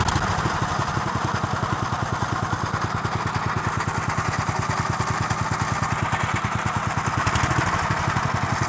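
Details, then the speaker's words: 1963 Bolens Husky 600 lawn tractor engine on 10-year-old fuel, off choke: racing high and hard with fast busy beat, runaway speed without governor control from an unhooked throttle linkage. "so our throttle the reason why it's racing away when i take it off choke is the throttle linkage isn't joined on and this is just floating in the wind"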